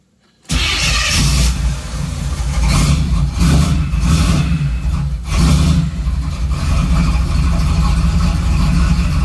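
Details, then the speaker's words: 3rd-gen Camaro after reconnecting the ECM power wire left unplugged from clearing codes: catches after brief crank and settles into a steady, even idle with check engine light on; first self-sustained idle in days. "you look at that check engine lights on but it's idling it hasn't idled on its own in days"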